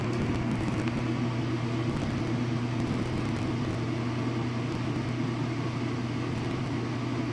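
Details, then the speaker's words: Washing machine on spin cycle with added load, before fitting rubber anti-vibration pads: a steady low drone and hum from the drum with a heavy shaking undertone, vibrating hard at high spin. "and see as the outcomes go up doesn't you start to really hear the vibration it's not too particularly bad considering that there are downstairs neighbors who want alleviate as much of that as possible"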